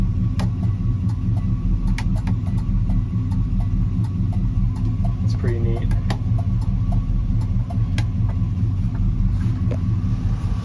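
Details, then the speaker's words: 1972 Chevy C10 350 V8 with dual exhaust, running after years off, revved after refuelling: deep, steady burble with even beat, no misses or knocks; slight smoke, owner suspects slightly sticky rings. "Hear those duals? Yeah. That sounds nice."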